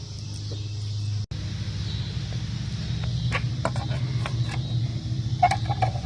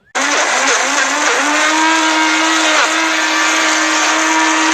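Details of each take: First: 2001 Buick LeSabre test drive after wheel bearing replacement (old one made noise from about 30 mph): low steady road hum with a few odd clicks, no speed-rising growl; new bearing sounds healthy, normal. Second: 2001 Buick LeSabre at about 30 mph: steady droning hum over tyre roar, worn wheel bearing, replaced with a hub-and-bearing assembly.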